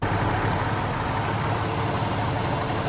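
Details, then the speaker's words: 2008 Acura MDX after power steering pump replacement and bleeding: steady, even idle with no metallic clinking from the pump; new pump quiet, normal idle. "and let's take a listen to the new Power steing Pump nothing you can't hear anything anymore no more metal clinking"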